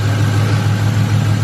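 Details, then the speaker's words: 1999-04 Ford Mustang GT V8 after replacing the idler pulley and belt tensioner for a squeak: smooth steady idle with even low rumble and no chirp or squeal from the belt drive; squeak fixed. "there's no squeak so that makes my squeak squeaking issue"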